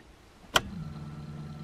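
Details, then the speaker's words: Nissan S13 with a newly fitted fuel pump, ignition on: a click, then a steady, even low electric hum as the pump primes cleanly, no leaks; normal fuel pump priming. "En plus t'entends la pompe qui s'allume et tout comme les bagnoles."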